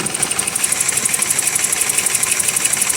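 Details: 1988 BMW 528e, rough idle with an even sharp ticking about twice a second that never settles. Plugging/unplugging injector and plug wires on cylinders 2–4 changes nothing; misfire on three cylinders, owner suspects the crank sensor. Engine shakes, motor mounts suspected.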